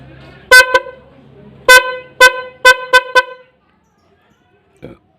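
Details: Hella snail horn newly installed via 4-pin relay on Yamaha New Vixion: loud, clear steady tone, quick double toot then five short even honks; horn working properly.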